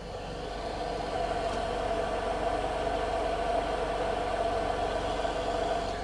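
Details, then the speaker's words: 2003-08 Toyota Matrix idling after fuel pump replacement; new fuel pump gives steady mid-pitched hum clearly audible over idle, unlike barely audible old pump that was suspected failing; normal fuel pump hum. "you guys hear that humming sound that's the fuel pump doing its job"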